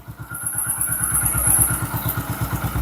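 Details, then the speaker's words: Hero Glamour BS4 after tappet clearance set (white smoke, oil consumption and mileage complaint), kick-started on low battery: single cylinder ticking over at steady even beat, no knocks or rattles; sounds like new, healthy idle. "तो friends आपको बता दें, sound जो है एकदम जैसे new गाड़ी का जो साउंड होता है वैसा साउंड निकला है।"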